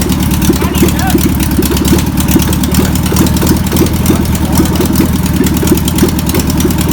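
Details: VW pressed-bumper-panel bus air-cooled engine, stored over 50 years, runs after penetrating spray and fuel are added. Even, busy chatter at a steady idle, firing on every cylinder with no misses. Owner suspects a bad fuel pump. Deemed a runner.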